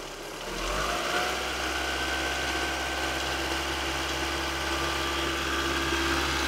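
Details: Opel Astra GTE C20LET: engine starts and revs with uneven knock about four per second over hissy intake; knocking on revs seems from cone filter, suspected inlet at idle, owner wonders if ICV clicking, source unclear.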